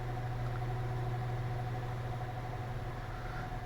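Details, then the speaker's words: Air Wizard Pro 20-inch wall fan on medium: deep steady hum with a thin constant whine that doesn't go away, blade out of balance; motor whine. "You can hear the whining. Hopefully you can hear it. It doesn't go away. It stays like that."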